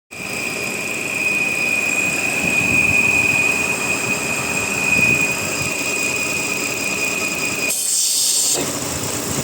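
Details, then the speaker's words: Volvo XC60 3.2 idling: with the part closed a steady high-pitched whistle appears but the engine runs evenly, no shaking; opened, it is hard to open and the engine shakes. Whistle at idle, cause unknown. "Закрываешь, появляется свист, но зато проходит подколбашивание, работает ровно."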